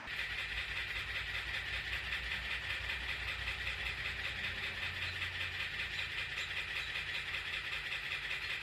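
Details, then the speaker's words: 2022 Subaru WRX after Cobb Accessport ECU flash of an off-the-shelf map cut off at one percent, entering recovery mode: steady hiss with regular pulsing buzz about a hundred a minute, not a running engine; engine control module failure. "I hit Flash and everything's perfect everything looks normal and then it starts flashing it gets to one percent and my car starts making this noise"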